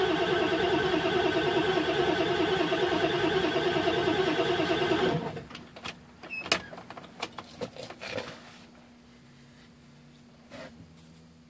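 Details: Ford OBS 7.3 diesel: starter spins the engine at an even three beats a second for five seconds, never catches, then quiet; crank no start.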